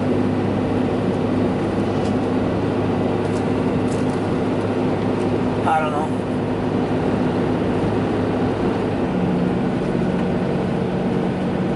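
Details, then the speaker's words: Ram truck front end after replacing the track (panhard) bar: smooth, even road and drivetrain hum with no grinding or scraping, steering more solid and rigid; front axle grinding noise likely fixed. "sounds a lot better a lot a lot better and it's a lot more solid rigid steering's a lot better"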